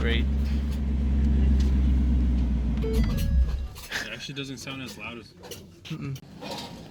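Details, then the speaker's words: Salvage-auction 2016 Ford Mustang GT V8 after replacing broken engine mounts, run about 20 seconds without a radiator: deep, steady burble for about three seconds before shutting off, no ticks or misfires; the engine idles cleanly. "so we turn it on for like 20 seconds cuz it doesn't have a radiator but it turns on idles nice"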